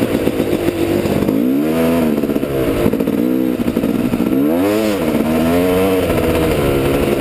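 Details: Yamaha YZ250 two-stroke, new clutch cable on order, friction plates still to be replaced; revs climb and sag in surges without the bike pulling harder, the engine note racing ahead of road speed. Clutch slipping.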